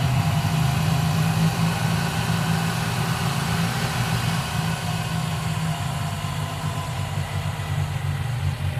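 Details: 1995 Geo Metro four-cylinder idling low and steady: a faint, quick tick rides on top, most likely lifter noise from the valvetrain; B-12 fuel injection cleaner added to the engine oil before an oil change.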